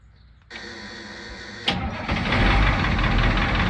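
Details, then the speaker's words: Fire truck Caterpillar 3208 turbo diesel, cold start on new parallel batteries with alternator disconnected; starter cranks briefly, catches with a sharp bang, settles into steady even clatter; fires right up, normal clean start. "Fire right up. See, right now it's running off just the battery, so it'll run those batteries dead pretty quick."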